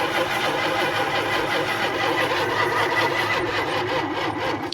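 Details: 1973 Plymouth Satellite, sitting 30+ years: starter turns the engine over in a fast, even rhythm for several seconds but it never catches; long crank, no start, another battery fetched.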